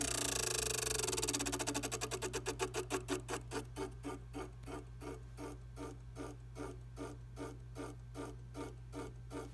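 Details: Tacx Neo Smart trainer: sharp rhythmic clicks that start fast and slow steadily as the flywheel winds down, a rotating part clicking.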